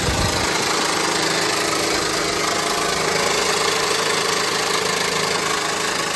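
Idling engine with an uneven knocking rattle over a hissy background, roughly three a second; failing crankshaft harmonic balancer.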